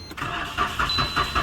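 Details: Maruti Suzuki Celerio, warning lights come on when cranking: starter cranks in a steady rhythm, about four pulses a second, but the engine never fires; faulty relay.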